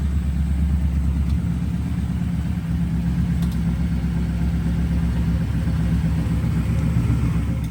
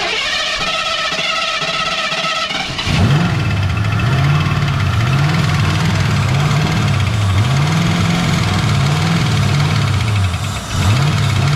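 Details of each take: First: Ford Foxbody V8 started for the first time since 2006: steady deep rumble held at a raised, even idle without dropping back; runs better when revved as fuel pressure rises, idle earlier hunting up and down, now sitting high. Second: Ford Foxbody V8 first start since 2006: starter cranks briefly, engine catches and settles into lumpy, steady idle with small rev swells; runs fine.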